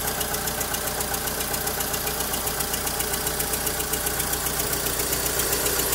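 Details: Volkswagen Saveiro lacking power on pull-away, idling: uneven, lumpy idle with a regular beat near four per second over a steady hum; the weak pulses point to low compression on two cylinders.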